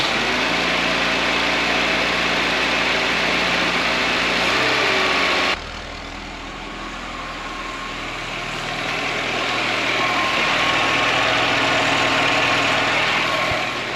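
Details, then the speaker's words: Fiat 124 Sport Spider with Weber carburetor, off the road since about 2011, first start after sitting: steady regular idle with an even beat, no knocks or stumbles, 75 psi oil pressure; normal idle. "Got to give it to those little Webbers. What a great little carburetor and sounds like a pretty great little car."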